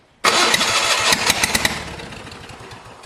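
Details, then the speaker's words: Old Spider forklift, restarted after being shut down: uneven starter cranking about three turns a second that never catches; one side of the carburetor flooding badly, smells of bad fuel; carburetor to be pulled. "now I think the carburetor's like bunk she doesn't uh let's see here like it cranks but it's oh does it want to fire"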